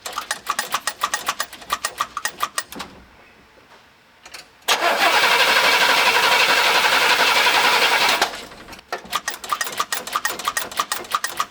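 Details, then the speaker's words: Car cranked with a JFEGWO CS02-PRO 8250A jump starter: fast, even starter chatter around four turns a second for several seconds, engine never catches; cranks but no start, cause not confirmed. "gas okay well the the engine didn't start but that's okay"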